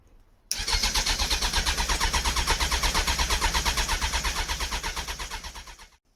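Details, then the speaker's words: Suzuki Bandit custom project motorcycle, starter cranking at an even beat, about three pulses a second for five seconds, engine never catching after fuel vapor sprayed into the airbox; cranking no-start, owner plans to clean and check spark plugs. "now she does not want to start"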